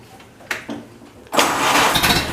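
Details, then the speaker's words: Ford Model A pickup, warm restart after first start since reassembly, electric fuel pump: brief crank, catches cleanly and settles into even idle; slight exhaust smoke, smells rich. Normal hot start. "little bit of smoke from the exhaust and everything else seems fine all the owners have another look hot hot start model a hot start"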